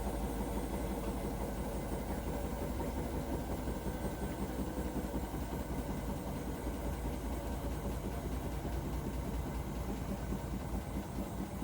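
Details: Hotpoint appliance making a weird rumbling noise: a steady deep rumble runs unchanged through the whole cycle with little else on top; source unclear from sound alone.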